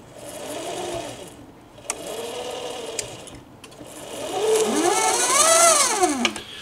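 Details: Omega Trac tracked powerchair, nearly 700 lb, gearbox transaxle filled with gear oil with drive pulley: motor-driven whine rising and falling in pitch with drive speed, faint ticking; drive noise, source not pinned down.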